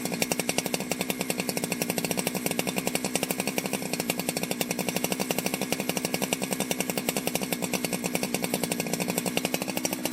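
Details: Ported Jonsered 2071 chainsaw after rework; it had run poorly, like an air leak with a hot case, and the crankshaft showed bluing and rubbing, but no air leaks were found and the crank was re-tightened. Crisp, even two-stroke pulses at a steady fast rate, no misses or surging: normal running.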